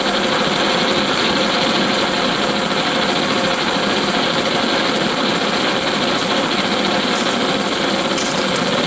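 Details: Antique paraffin blowlamp, newly assembled and tested outdoors: a steady hissing roar with no low rumble, burning evenly with slight wind flutter; the burner is working properly.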